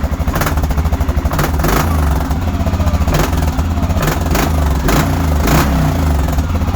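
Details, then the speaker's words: Quad, just started and warming up (needs new belt, squeaks on take-off): steady brappy single-cylinder idle with crisp throttle blips and clean return each time; normal idle and revving. "When it warms up a little bit, I'll do a little bit of rev limiter for y'all."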